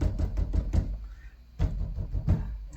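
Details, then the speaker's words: 2023 Chevrolet Camaro SS door after Resonix deadening on the door panel: knuckle raps give dull, short thuds and the panel sounds well deadened, but a slight buzz remains from the window frame rail area. "there's still a little bit of like frame rail noise with the windows"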